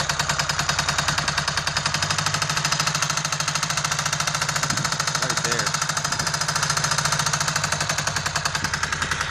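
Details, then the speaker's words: Ducati 695 Monster at idle, sharp fast chopping metallic clicks about three per second, source location unclear; owner suspects oil pump, cause not confirmed. "Hear that clicking? That like chopping, clicking noise? I don't know what it is. I'm starting to think it's the oil pump."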